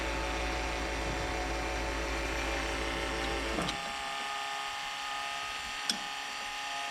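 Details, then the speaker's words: 2001 Freightliner bus conversion with 24-valve Cummins diesel, after fuel filter change, bleeding at the loosened 17mm supply line from the filter canister: steady starter cranking about 3.5 s, no firing, then cuts out; no-start from air in the fuel system, until fuel appears. "And when fuel starts coming out of there, we need to close it. I just bumped the starter. One more time."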